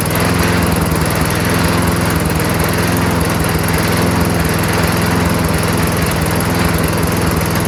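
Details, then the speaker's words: Toro Recycler 22-inch self-propelled mower, Tecumseh engine with freshly cleaned carburetor, running on its own: steady but slightly slow, lazy bark; engine speed slightly low, raise by bending governor spring bar outward. "uh the RPMs could be increased a little bit so there's a little bar here you can bend outward a little and that gives the um spring more"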